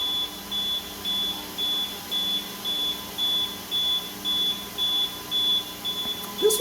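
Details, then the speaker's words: APC 3000 UPS, rebuilt with new batteries, load-tested with an Arista 7050 and a Dell R620 for about 1 hour 5 minutes: steady short, high beeps every half second as the battery nears empty; low battery warning. "one's not beeping yet this one is so I'm just gonna plug the B back in"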